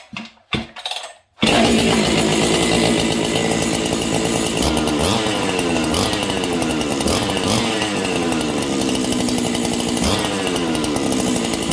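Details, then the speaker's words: Husqvarna 268 giveaway saw, ported with opened muffler; loud, sharp, high-pitched two-stroke scream held at full throttle, pitchier and angrier-sounding than the other saw; strong, healthy running. "I hope you guys can hear the difference. This one is pitchier. It's got more of an angry sound to it."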